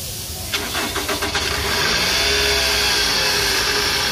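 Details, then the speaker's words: Toyota Alphard around 2010, engine warm, idling then shifted into D: catches after cranking, then a steady drone with a rough, harsh edge, traced to a broken balancer shaft rubber retainer; balancer shaft set being replaced. "terdengar suara dengung ya sama bunyi kasar ya"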